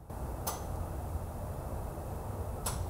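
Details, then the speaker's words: Ancel X7 bi-directional OBD2 scanner commanding a car's evap solenoid: two crisp clicks about two seconds apart over a low steady rumble; the solenoid is cycling on command and working properly. "if you hear the ticking noise that means that relay is turning over which is good"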